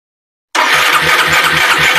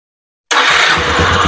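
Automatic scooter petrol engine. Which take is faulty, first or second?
first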